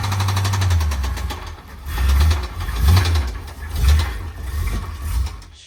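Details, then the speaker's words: Square-body Chevy small-block V8 dump truck, cold, oil found about 3/4 low and topped up, first start: rough surging rumble with heavy thumps as revs rise and fall, then stalls; knock felt through floor, rod bearing suspected. "Everybody hear that knocking sound? And it died."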